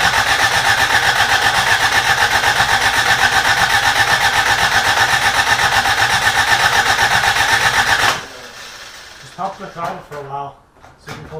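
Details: Rebuilt carbureted Toyota Corolla, first start attempt: starter spins engine at even quick beat for eight seconds without a catch, then stops; fuel not reaching carburetor, old gas believed bad.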